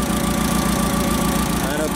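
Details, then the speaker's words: CAT forklift with cold hard-starting complaint, idling after start: slightly uneven, stumbling beat, definite misfire; cylinder balance test next. "don't know if you can hear this in the camera, but there is definitely a misfire on this engine."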